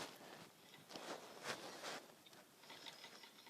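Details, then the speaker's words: Westinghouse Contempra Trio ceiling fan motor turned by hand during installation: light irregular scratchy ticking from an internal wire hitting the inside of the housing; the fix is opening the housing to free the wires from the motor. "if you hear that that's one of the wires hitting on on the inside of the housing so I'm going to take the housing apart and make sure those wires are free from the motor"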